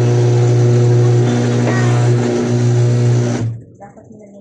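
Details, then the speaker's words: Washing machine after motor replacement, reassembled and run without water; steady low hum with constant drive whine, running evenly until it winds down: normal spin. "Okay lang yan importante umikot yan"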